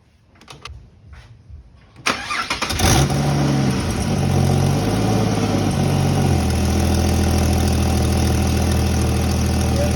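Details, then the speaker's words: Ford FG Falcon converted from NA to turbo, idling after start with a rapid raspy ticking puff over the exhaust note; exhaust leak, owner suspects the T3 turbo flange gasket. "Yeah, if I could go back in time, I would definitely wouldn't be using this gasket, this T3 flange gasket. I'd be using a multi-layer steel beast like this one here. It's a lot better. But, you know, you learn from your mistakes, don't you? You guys want to hear the exhaust leak?"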